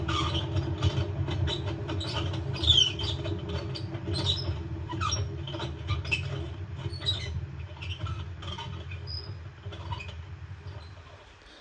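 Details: LG washing machine, drum turned slowly by hand before a bearing replacement: gritty rumble with scattered scraping crackles, a worn drum bearing; it made no such noise while spinning.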